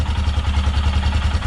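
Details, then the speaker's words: Royal Enfield Himalayan single-cylinder idling after replacing the failed exhaust manifold gasket with a new copper one; even steady thump, clean exhaust note, no leaking, ticking or backfire; runs as good as new. "that's how the engine sounds, as good as new. No leaking, no ticking, no nothing."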